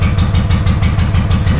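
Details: Honda GL500, not started in over a decade, first start after a wiring loom rebuild with old oil inside: a low, thumping idle at about six beats a second with some clatter, still a bit lumpy. Rough idle.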